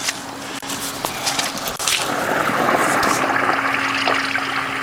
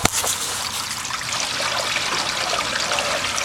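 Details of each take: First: Sump pump discharge through a long riveted pipe in a wet New Jersey fall, cycling every 30 seconds: it gives a little water, then a strong rushing, gurgling surge before settling to a steady pour, with no leaks after sealing. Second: Backyard sump pump discharge pipe, newly sealed and riveted extension, combined with gutter runout: steady rushing hiss of water, no dripping or spitting, flowing clean with no leaks.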